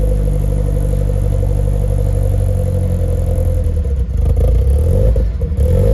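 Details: Nissan S14 being brought back, running after 1.75 gallons of 93 fuel: a lumpy, heavy idle, then throttle blips with crackling pops and clatter at the top. It is untuned and needs a tune; flames were reportedly seen previously.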